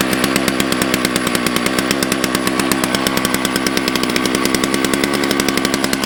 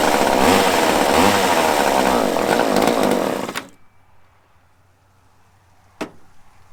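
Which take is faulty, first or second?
second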